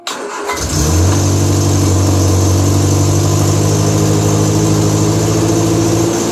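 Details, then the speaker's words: Triumph Spitfire 1500 four-cylinder, cold start on high choke after a new exhaust header and intake; first run in a week. Catches quickly and settles into a steady, even idle, no misses or knocks. Owner hears a possible slight exhaust leak: normal cold start idle. "So we got juice. So she's a cold start. We'll let that run for a second or so."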